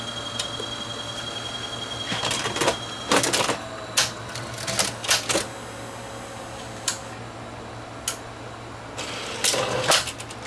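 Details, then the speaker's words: Sony VO5850 U-matic deck, empty, left sitting: steady hum with irregular clicks and clunks as it half-loads as if a tape were inside; owner suspects a faulty switch or optical sensor; false half-load loading cycle. "if I let it sit it goes to a half load like there's a tape in it but there's not"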